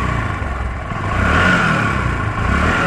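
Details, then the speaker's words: Discover 125 motorcycle, kick-started, after fitting new spark plug to cure power loss, poor pickup, stalling and missing: light throttle blips pick up smoothly and drop evenly, no knocking or missing; problem solved. "এখন কিন্তু 100% accurate হয়ে গেছে, তাদের সমস্যা ছিল সেটা কিন্তু সমাধান হয়ে গেছে।"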